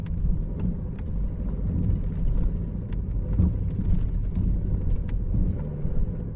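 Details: BMW E90 318d, M47TU2 90 kW diesel at idle: sharp irregular knocks once or twice a second. Crankshaft bent 0.05 mm and/or probably cracked at the oil pump gear ring, moving back at cylinder 4 firing so the flywheel hits the transmission input shaft. Seizure after a blown turbo suspected; fix is an engine swap.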